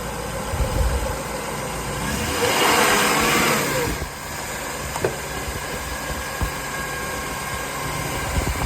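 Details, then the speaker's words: Jaguar X308 XJ8 4.0 V8 automatic after replacing a nearly split serpentine belt: smooth idle swelling into a brief, even rev and settling back, no belt squeal or chirp, sounds healthy. "That's all it's all sweet as a nut now. Just rev it up a little bit and see."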